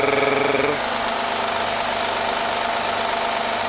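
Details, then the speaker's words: 2008 Honda Odyssey Touring V6 idling on a chilly morning: a steady, raspy rattling whir over the engine, found to come from a worn timing belt tensioner, which is then replaced. "from what I've found that is a timing belt tensioner"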